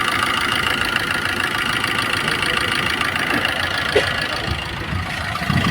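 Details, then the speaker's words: Maruti Suzuki Swift diesel, about 154,000 km, after the full timing kit was replaced for a heavy knocking noise. Smooth, even diesel idle with no knocks. Normal idle, the noise is gone. "तो देख सकते पहले इसमें कैसा आवाज था पूरा खड़ इस में बिल्कुल आवाज नहीं है"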